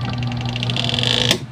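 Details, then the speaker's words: Washing machine spin dryer that won't work, switched on: steady low hum with a whine above it, no spin-up, then a click off; motor energised but not turning, capacitor suspected. "parinig ko sa inyo yung tunog agag pinaandar natin Subukan natin i switch yan may Ugong siya Ayun"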